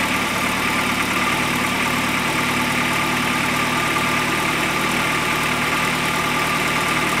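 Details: 1973 Volvo 1800 swapped with a Volvo 240 turbo engine (upgraded turbo, coil-pack ignition), first start after converting to a VEMS standalone ECU: a steady, even idle with a constant hiss on top and no misses.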